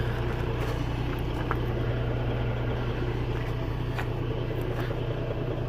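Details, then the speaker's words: US semi truck pre-trip air brake check, engine idling with brakes applied: only the steady low diesel drone, no hiss at tractor or trailer lines, so air brakes are holding with no leak. "И слушаем, не шипит ли ничего особенного. Тормоза горят. Идем к трейлеру. Тишина."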